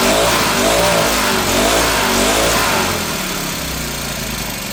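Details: Troy-Bilt four-stroke backpack blower after Seafoam was added, just after the choke came off: it runs a bit unevenly and dips in speed, sounding rich or still cold. The owner says it is not perfect, distrusts the filter, and has a new carburetor ordered.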